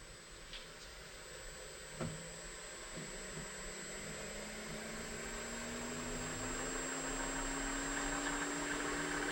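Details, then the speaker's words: Harvey T60S wood lathe with servo motor, workpiece removed, spun up to about 2000 rpm: faint motor tone climbing smoothly with thin high hiss, no rumble or knocking; very quiet, normal running, and it stops quickly. "That is super quiet. The servo motor then lets it stop a lot faster than other lathes that I've used, so happy with that."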